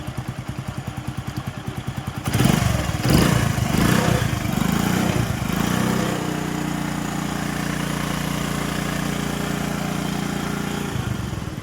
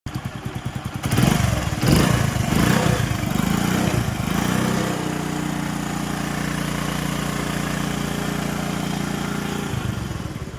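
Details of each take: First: Honda/Hero HF Deluxe bike after full timing chain kit replacement: kick-start pulses, a few throttle blips, then a smooth steady idle with no chain rattle or ticking; timing chain noise gone. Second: Honda bike, noise persisting after timing chain replaced three times: revs then idle with light quick rattle; cause worn tensioner, guide and badly worn oil pump parts left unreplaced.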